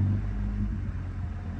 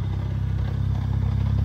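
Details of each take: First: BMW 135i with 550i/335is clutch and lightweight flywheel, idle raised by foot to about 900 rpm: steady, smooth idle hum with the flywheel rattle mostly gone. A deeper knock returns when released to stock idle. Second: BMW 135i, 550i/335is clutch with lightweight flywheel, sport muffler, about 400+ hp, over 5k miles: steady stock idle with a light, fast rattle like a slight engine knock. It is the lightweight flywheel chattering at idle, heard from a distance.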